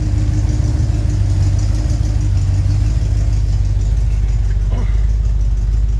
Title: Zweiter Testlauf, der Keilriemen quietscht nicht mehr